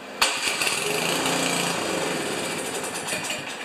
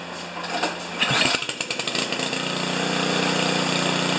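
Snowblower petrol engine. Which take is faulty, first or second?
first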